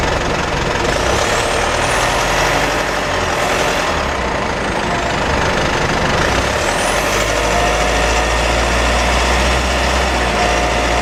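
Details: Mitsubishi pickup with 4N15 diesel and V6AWH automatic, cabin recording while driving, October 2020: thin wavering high drivetrain whine over road and engine rumble; dealer repeatedly failed to fix; rear differential later found overfilled, front differential oil burnt, ATF about 1 L low.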